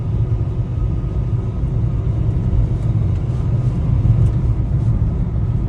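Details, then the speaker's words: 2010 Peugeot Bipper driving on a bumpy back road, suspension parts all replaced: only steady low road rumble, no clunks, rattles or knocking; normal suspension. "suspension's good no Ratt no knocking braks stoping par there"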